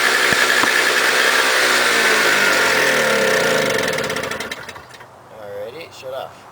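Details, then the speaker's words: Toro CCR 2000 single-stage snow blower, 4.5 hp two-stroke, after carburetor cleaning; had smoked with very old gas backed into the cylinder: high buzzy note smooth and even, no misses or knocks, then eases off; normal running. "so as you can hear it's running great"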